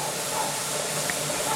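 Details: Pressure canner with tomatoes on outdoor LP three-burner hotplate, burner wide open during venting phase, about four minutes of venting left: steady strong hiss of steam with no sputter, before the weighted jiggler goes on; normal venting.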